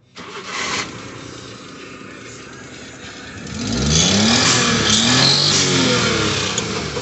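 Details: 1992 Suzuki Every turbo, fuel-injected single-overhead-cam F6A, after fuel pump replacement: engine catches quickly, settles to an even idle, revs cleanly and drops back with no stumble, misfire or hesitation; normal start and idle.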